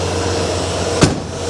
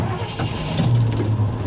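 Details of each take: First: 1982 Ford F150 idling. A thin, constant buzz rides over the idle with one brief knock; the source of the buzz is unknown. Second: 1982 Ford F150, not started in quite a while, first start with the key: starter spins briefly, then the engine catches and settles into a steady low rumble; a clean, normal start.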